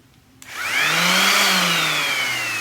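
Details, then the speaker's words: Old DeWalt variable-speed orbital sander: motor spins up to a high steady whine, slightly sagging, hollow free-running with no pad load; pad won't spin because the drive band broke; band replacement follows. "It wouldn't even spin. Oh, there we go. The band had broken."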